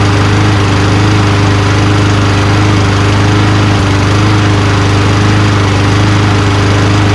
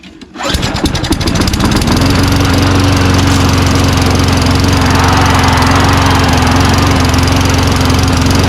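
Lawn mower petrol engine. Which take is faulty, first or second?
second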